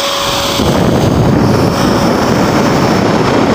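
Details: Dell GX280 desktop that won't work: power light stays orange and it never POSTs; the cooling fan gives a loud, constant jet-like roar at full speed with a steady tone on top and never throttles down.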